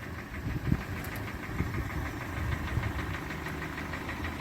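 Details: 2014 Hyundai ix35 with G4NA engine in for repair: idling engine with a dull, uneven knock through the low rumble; piston slap from scuffed cylinders, repaired by boring 0.5 oversize with Teikin pistons.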